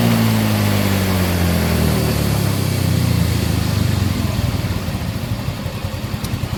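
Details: 2019 Yamaha Mio X-Ride scooter: humming whine from the rear final drive (gardan) when throttle is applied, dropping in pitch as the wheel slows after release; cause unconfirmed.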